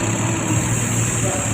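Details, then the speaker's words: Fuel-injected Yamaha Xeon scooter after the repair, check-engine light off, with code 22 having shown before and a bent socket pin blamed; idle speed reset via ISC code 67: a steady, even hum around the ideal 1,500 rpm; normal idle. "Và sau đó chúng ta sẽ xem trên màn hình giám sát, lý tưởng cho tốc độ không tải là khoảng 1.500 vòng/phút, đúng vậy, nó dao động ở đó."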